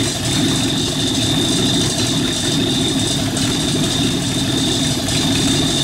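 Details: Rat rod truck idling with a York AC compressor converted to a belt-driven air pump for an air-bag suspension, filling a tank, pressure switch set near 100 psi; steady idle with constant high compressor whine, even rhythm, no knocks, normal.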